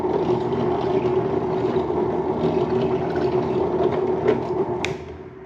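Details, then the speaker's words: HDC DPMINI15 mini drill press, made around the early 2000s, revived after being parked, running after belt moved to a lower speed: steady, even motor hum at constant mid pitch, no knocks or grinding; runs smoothly and sounds healthy. "Honestly, I don't have any complaints with the the way the motor sounds or the way anything really sounds. It all seems pretty good."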